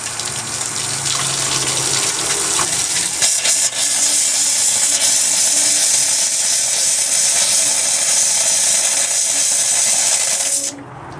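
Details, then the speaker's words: Escape 19 ft display-model trailer, blowing out the kitchen sink cold water line by cracking the tap slowly: loud hissing spray with sputtering air bursts until water stops and air comes through, then cut off; normal purge of water and air. "I'm just going to let it go until the water stops pouring and we get air coming through."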